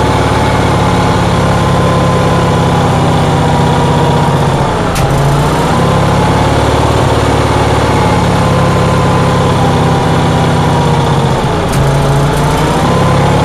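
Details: Onan generator on a cold day, with a steady, fast droning idle and two brief dips in speed; the engine runs well above normal idle, cause unknown.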